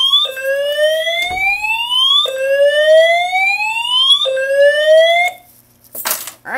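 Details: Simplex 4010 fire alarm panel multi-tone horns after pulling a 4099-9006 dual-action pull station: loud rising whoop about every two seconds, clean and steady; normal horn signal.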